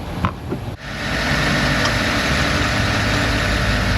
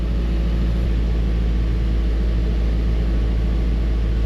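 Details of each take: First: Engine starts after new spark plug wires were fitted and settles into a steady, smooth idle with no misses or knocks ("purring like a kitten"); removed plugs 4, 6 and 7 looked poor, and the engine is burning oil. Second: Chevrolet Tahoe V8 with misfire, scanner counting misfires: deep idle with uneven loping beat as one cylinder drops out, less at higher engine speed; engine misfire on one cylinder.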